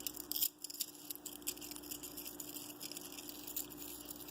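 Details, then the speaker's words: Rear wheel bearing from the crush hub assembly of a 1998 Suzuki Bandit 1200S with 8,400 miles, spun by hand: dry, scratchy, gritty crackling with play, metal debris inside; rough, worn bearing found during tire change. "that this is bad it still rolls but there's definitely metal and growth stand debris in the bearing itself and this is supposed to be a steel bearing as well as you can tell and this shouldn't shake and rattle and roll like that"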